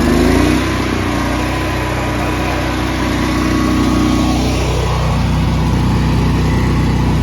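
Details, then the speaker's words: Honda EB11000 generator on 20 lb propane tank, governed 240 V, auto idle off, 34 A 240 V hot water tank load applied: pitch dips briefly then settles steady and even; normal running under load. "listen for how little change there is in the sound of this generator when you you slap a 34 uh amp load on this thing, a 240 BKW."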